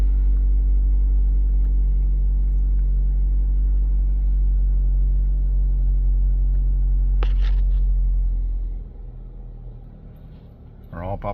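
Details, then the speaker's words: 2013 Mazda CX-5 push-button start, which wouldn't start until blown fuse #22 (C/U IG1) was replaced: it now starts right up. Steady, even low idle rumble with no misses or ticking for about eight seconds; normal idle. "Pushing the brake. Still got the green light. And look at that. Starts right up."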